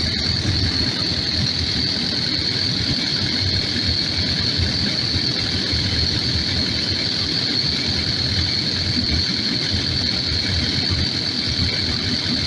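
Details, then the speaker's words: Takeuchi TL12V2 diesel at -30°C after diesel additive and key cycling; steady even idle under constant hiss, no stumbling or surging, longest run so far; owner suspects gelled fuel, possibly at tank pickup screen. "well this is the longest it's run so far"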